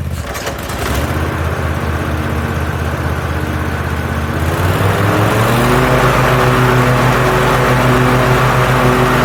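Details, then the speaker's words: 2021 Cub Cadet ZT1 50 zero turn mower after replacing an overstretched deck belt; smooth even engine beat, pitch settles cleanly as PTO engages blades, no squeal, rattle or deck vibration; belt was the culprit, running normally. "but that is now behaving normally I don't see the excessive vibration in the deck I don't hear the funny noises I was hearing"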